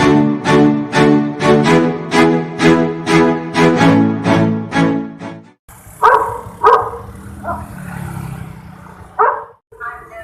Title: SUARA ANEH DI MEGAPHONE / TOA TRAFFIC LIGHT SIMPANG 5 JALAN MAYJEN SUTOYO.S BANJARMASIN TENGAH